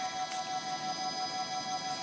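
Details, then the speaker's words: Golden Motor Magic Pie 2 hub motor with external controller, wheel on a stand spinning free at full throttle, recorded on phone: steady, even hum with clear constant tone, no grinding or clicking; healthy. "it has that familiar humming sound that the magic pies make"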